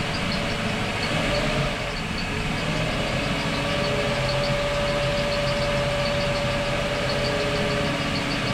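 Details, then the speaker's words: Boat starboard engine after repairs for overheating, revs rising from about 1,500 toward 2,000 rpm: steady high squeak at one pitch over the running engine, said to be one of the pulleys; pulley squeak. "That's a pulley. One of the pulleys. The squeaking? Yeah."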